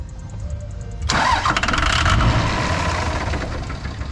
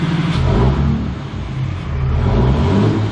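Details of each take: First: 2003-2007 5.9 Cummins diesel after fuel injector replacement, key on with a fast lift pump: cranking, then a sudden loud catch as it fires and runs rough briefly on brake cleaner left in the cleaned injector bores. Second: 2003-2007 5.9 Cummins diesel pickup after fuel injector replacement: revs up smoothly and settles, deep steady pull with no knock or miss, smoke from oil and brake cleaner clearing; running healthy.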